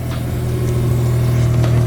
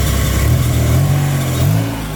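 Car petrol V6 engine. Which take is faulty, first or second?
second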